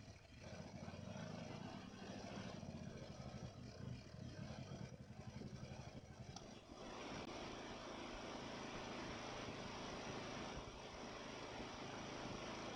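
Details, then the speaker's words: Ariens mower with Nikki carburetor, after carburetor cleaning and rebuild (problems with cheap Amazon rebuild parts), second start: small single-cylinder settles into an even, steady beat after slight early unevenness; runs smooth, hardly any surging. "Wow yeah that's just miles difference from where it was it runs smooth it responds to throttle changes very little surging if any at all yeah I'm happy with that"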